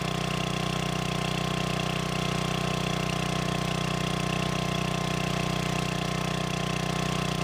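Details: Old free generator, after adding gas and freeing stuck governor: steady, even idle at unchanging speed, no hunting or misses; voltage output in proper range; normal governed idle.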